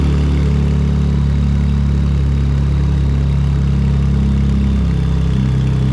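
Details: Ford Police Interceptor Utility (Explorer), first start after replacing twin turbos and reassembly: loud, deep, unmuffled drone at steady idle, no hiss or rattle; exhaust thought not connected, nothing coming out of the tailpipe.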